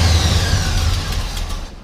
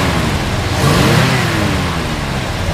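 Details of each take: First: 1972 Chevrolet Chevelle SS 350 with headers, cold start: rough lumpy idle that sags and stalls within seconds; cold-blooded, may need choke adjustment; slight exhaust leak probably at header flange. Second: 1972 Chevrolet Chevelle SS 350 V8 revved; a deep burble swells smoothly and settles with no ticking or puffing. The exhaust leak, thought to be at a collector, is only heard on a cold start and is not heard here.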